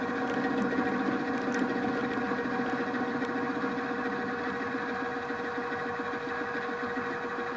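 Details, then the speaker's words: Drill press with the end mill held in a drill chuck, feeding across the part: a steady cutting hum with an uneven pulsing rumble, about three to four a second, as chatter from lack of stiffness leaves surface irregularities of about ten thousandths of an inch. "everything looks fine so far it looks very much like what you've seen here the milling machine and it's sort of working but you can hear some rumblings some chatter to feed this across the park"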